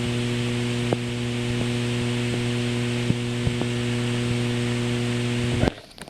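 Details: Phone/headset connected by 3.5mm aux to desktop speaker: steady low hum and buzz in the background with no music playing from a ground loop; removed by a 3.5mm ground loop isolator.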